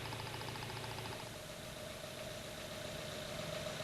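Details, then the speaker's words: Toyota TCCS fuel injector heard through a sound scope (stethoscope) at idle: a fast, even ticking with a clean steady rhythm. The injectors are opening normally. "If you can hear a regular rhythmic sound like this, you can tell the injectors are working normally."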